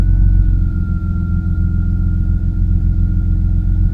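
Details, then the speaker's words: 1996 BMW E36 328i idling after the alternator was fitted and oil filled: smooth, steady idle with an even low rumble and a faint constant high whine, no knocks or misses; alternator now charging about 14.2 volts. "So we should have a charging alternator now. Perfect. Success."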